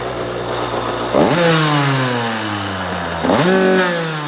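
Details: 2003 KTM SX85 two-stroke motocross bike blipped twice: rough mechanical rattle under the revs from the gearbox area; shifts fine, owner unsure if gearbox damage or clutch.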